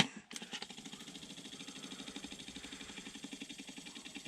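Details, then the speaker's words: Beetle heater blower on the high setting, about 11.5 V supplied on all settings: fast fan whir with rapid flutter, hitting and missing with vibration, then steadily slowing; blower motor suspected failing, not the resistor. "It's hitting and missing. I don't know if you can hear the vibration. And then it steadily slows down."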